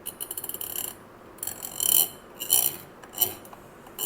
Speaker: If your knob is in perfect condition, you'll hear a soft clicking sound when you turn it.